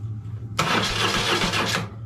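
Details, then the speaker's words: BMW adventure bike project: about a second of steady starter cranking with no firing. A new plug on the lead shows no spark yet, so the engine cranks but does not start. "No spark there. Hold on. Let's listen for the >> That made a noise. Right, we haven't got a spark at the minute."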